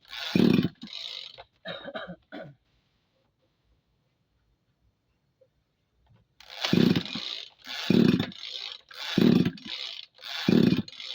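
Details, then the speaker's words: Tanika engine sprayer with motorcycle-style carburetor, hard starting: repeated rasping recoil pulls, about one a second, no firing; crank no start; owner suspects wet spark plug or crankshaft seal, plans plug replacement first. "Oke, mari kita uji mesinnya . Mesinnya tidak mau"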